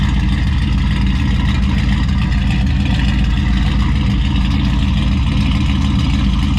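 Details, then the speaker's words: Newly built turbo V8 in an F150 after first start, piston rings not yet broken in, exhaust dump opened up: deep, heavy rumble with a loping, uneven beat about three lumps a second; healthy lumpy cammed idle. "I want to hear what it sounds like. Oh yeah. Yeah. We gotta hear those cams go lumpy."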